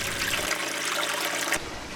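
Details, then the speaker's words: Reef tank setup, 2009: after fitting a muffin cap on the internal overflow standpipe, drain noise clearly decreased to a soft steady trickle into the sump, no loud gurgling or slurping; quiet overflow drain. "we'll now put the muffin cap onto the stand pipe in the internal overflow then let's see what happens it sounds like there was a definite decrease in the drain noise"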